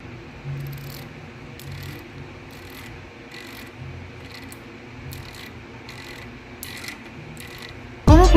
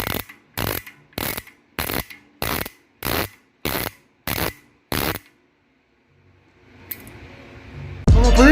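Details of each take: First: Bicycle rear hub after its driver (freehub) was serviced and greased, formerly very loud when dry: only faint, soft ticks as the wheel coasts, under a low hum. Freehub now quiet. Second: Bicycle hub freewheeling before driver service: loud, sharp, harsh clicks about every half second; freehub pawls completely dry with no grease, quiet once greased.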